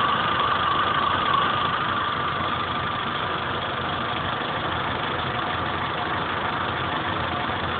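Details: 2010/2011 Chevrolet Corsa 1.4 Flexpower, 17,000 km, oil level good, temperature at 1/4 just past cold: light, fast, even valve-train tapping at idle, three to four per second. Owner says it is loud at the first start of the day and then fades; asks whether normal.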